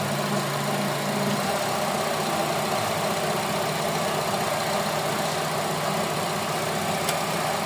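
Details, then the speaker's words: Honda CR-V Gen 3 K24 engine after wiring repair for a misfire (rat damage suspected): steady even idle, no stumble or shake; earlier shaking gone, running smoothly. "So ayan, yung kanina palag-palag yan. Ngayon, okay na. So okay na yan. Tahimik na. Wala nang palag-palag."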